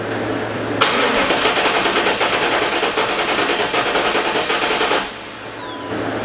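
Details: LT1 Pontiac Trans Am (4th-gen F-body, resurfaced heads, chasing misfire and stalling) cranking during compression test of the last cylinder: steady, even starter churn at about three beats a second with no stumbling. Reading about 170 psi, healthy.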